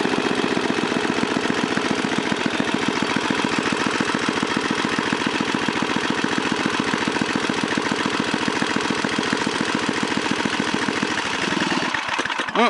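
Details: 1978 John Deere Tecumseh HM80 8 hp 318cc engine from a John Deere 826 snowblower runs as a steady, even single-cylinder putter with no knocks or misses, then shuts down cleanly; it usually starts on one pull.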